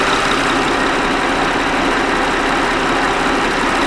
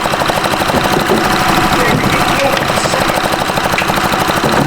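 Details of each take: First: 2007 Honda Odyssey 3.5L with EVAP no-purge-flow codes, idling after an unhooked line was found and the fuel tank pressure sensor began reading; a steady, even idle with a smooth hiss and no knocks or misses. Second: 2007 Honda Odyssey 3.5L with check engine light and EVAP no-purge-flow codes, the purge valve cycling on and off: a continuous airy hiss over the idle, a vacuum leak from a disconnected EVAP hose; no parts were needed.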